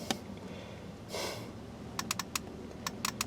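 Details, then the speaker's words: 2006 Ford F-250 horn circuit: sharp dry relay clicks chattering in irregular bursts as the horn relay activates; horn was stuck on and blowing fuses, traced to a bad/stuck steering-wheel horn contact pad; owner suspected shorted integrated relay or aftermarket alarm wiring. "ng I hear I mean this is obviously activating him because I can hear the horn relay I wish I knew which one it was"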